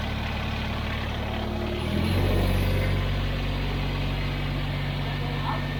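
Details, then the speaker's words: Kubota BX23S tractor with snowblower after replacing chattering bearings in the K-connect drive: engine settles into a steady low drone with no grinding or rumble, sound and vibration gone, normal running. "yeah already 10 times better it was all about those bearings the sound is gone the vibration's gone it's working great"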